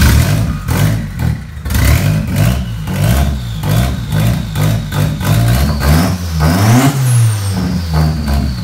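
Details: Turbocharged KA24DET four in an S13 240SX, owner chasing clogged or non-firing injectors, revs cleanly and settles back with no stumbles or pops through the blips, smooth even firing: running properly, no misfire.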